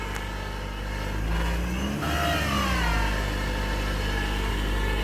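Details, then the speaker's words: Ford C-Max hybrid with the gas engine running: a steady whine rises and bends with revs and stops when the engine cuts off; believed to be a failing generator motor in the hybrid transaxle. "that's a transmission noise I think I'm going to make this video to um help people figure out what's going on with their car it's a common noise"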